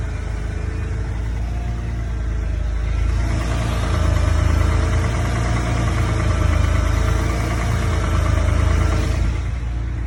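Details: BMW N54 engine idling with a deep, fairly steady knock about four per second that grows louder on a light rev; rod knock suspected, not confirmed.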